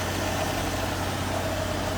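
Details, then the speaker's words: 1975 AMC Matador sedan, 258 cubic inch six, warmed up at low idle: a smooth, even low hum with no knocks or misses. Idling healthily. "All right, there's a good look at the underside of the hood and the 258 cubic inch engine. Now it has warmed up, so we're on low idle."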